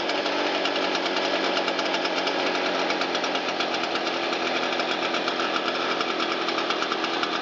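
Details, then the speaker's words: Shindaiwa EB802RT two-stroke blower after fixing a backwards-installed replica carburetor and fitting new fuel hoses and a used gasket; choke off, part throttle: a bright, even buzz with the fan rushing steadily, no stumbling or surging. Normal running. "Turn the choke off and give it a little throttle. Air out that crankcase a little bit."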